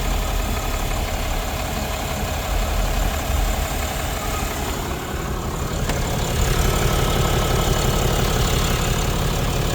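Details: Diesel truck idling while warming up after the popped-off bottom radiator hose was refitted and coolant refilled. Even clatter about three beats a second with the fan turning; running normally, no leaks so far.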